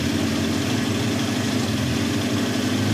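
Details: 1971 Honda CB750 K1 four-cylinder, original, about 18,000 miles, hard starting, needs carb work; on stand, cold, choke off: uneven idle that wavers and wants to stall, won't hold idle. Rough idle.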